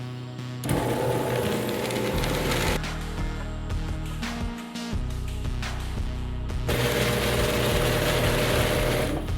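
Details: Genie half-horsepower screw drive garage door opener after limit switch replacement: motor hums steadily through its travel, then cuts off cleanly at the limit with no grinding; the failed switch had let the trolley overrun and grind.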